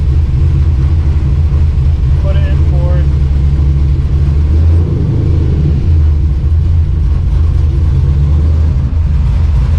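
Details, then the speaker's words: 1986 Chevy C10 with newly installed used TR6060 6th-gen Camaro transmission, on stands in gear: deep steady droning rumble and heavy low throb, still driveline vibration; owner unsure if inside transmission. "it's slightly better so there's still something wrong with the driveline and i don't know whether it's inside the transmission or what the deal is"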